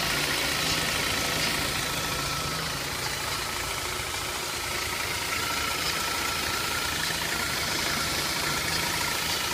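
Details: BMW E46 316i with M43 engine at idle: fast, fairly regular light tapping about three per second over a busy engine hiss; engine noise at idle, cause unknown.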